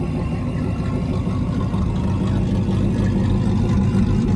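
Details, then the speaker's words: Supercharged Hemi V8 in a Mega Cab truck idling while warming up, not in boost, barely any throttle needed. A loping cam chop at about four pulses a second, with the supercharger chopping along. Normal idle with cam chop. "Little chop coming through. Woo! Baby. Hear the supercharger chop with it. It's just the most beautiful combination."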